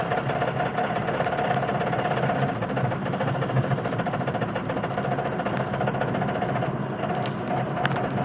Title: knocking sound driving slow